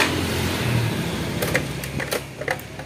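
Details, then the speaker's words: Honda Scoopy ESP fuel-injected scooter, hard to start. The electric start cranks long and kick-start strokes turn the engine over with scattered clanks, but it won't fire. The cause is in the fuel pump. "oke startnya panjang coba engkol kaki susah hidupnya"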